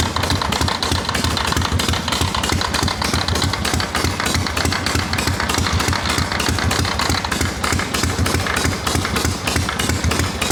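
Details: Harley XLCH chopper twin idling on the bench: steady idle with a repeating scraping beat, about three per second, following engine speed; something is rubbing inside the clutch, not present with the kicker fully down.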